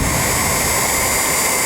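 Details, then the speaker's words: 1949 Revere Model P-90 8mm projector, small AC brush motor, freshly relubricated; lamp switched off so motor instantly speeds up; loud even rushing whir from motor and cooling fan, no knocks or rattles; running healthy. "So shut the lamp off. As you can see, the motor kicks up in speed instantly."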